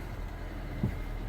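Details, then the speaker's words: 2003 Nissan Almera N16 1.5 petrol manual, after replacing and tensioning belts via adjusting pulley, idling with steering at full lock: low steady hum, no squeal or chirp; belt drive quiet. "you can see it's not there's no screeching or nothing now that's perfect nice and quiet that's what you'd like to hear there you go job done"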